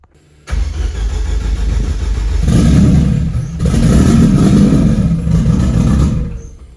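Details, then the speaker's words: Rebuilt Nissan Juke project, first start: a brief starter whir, then the engine fires right up and settles into a strong, even idle with a steady low rumble. "fired right up let's try that again oh okay starts"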